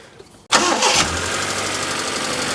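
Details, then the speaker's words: Proton Satria 1.5 with a misfire and low compression on cylinder 1: the engine catches quickly and settles into an even idle with a light, busy ticking on top. This is ordinary tappet clatter, not the fault. "That sounds like a proton. Yeah. A lot of clattering. Some of them tap it should be happy."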